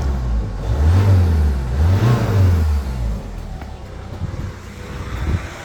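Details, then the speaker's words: Peugeot Expert 2.0 HDi diesel after timing chain, injector seal and walnut-blasting work: fires up, couple of quick revs, settles to a quiet even idle with no chain rattle; aircon belt noise remains. "And listen, no chain noise, that's all gone. So everything is now nice and quiet."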